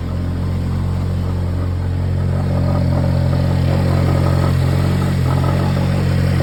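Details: Timing-side noise at cold idle, engine at 185k with oil changed every 3k: light, fairly regular clatter about three to four times a second over the engine hum.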